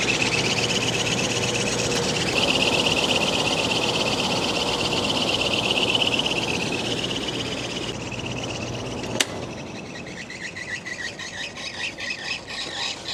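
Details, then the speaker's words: Carrier rooftop unit not cooling properly, filters unchanged since April 2023, bad capacitor and broken motor mount found. A steady high-pitched squeal rides over the airflow. Worn blower belt. "Know if you guys can hear it, but the belt is definitely sound like it's worn out in there."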